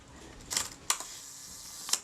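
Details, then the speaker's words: Kodak Retina II type 122 35mm camera, about 85 years old, being serviced: after fitting the speed cam plate and 1/500 speed spring, the leaf shutter fired on bulb opens and closes crisply about one second apart; normal shutter operation. "was one second and that sounded pretty good"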